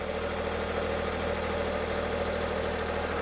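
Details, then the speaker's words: Small turbo petrol in a cheap Copart car, running after a spare starter motor was fitted; smooth, even idle, steady low hum, no knocks or misses; sounds alright, ran about 30 seconds, ECU fault codes afterward. "Come on. I'm happy. Can you tell I'm happy? it actually sounds alright."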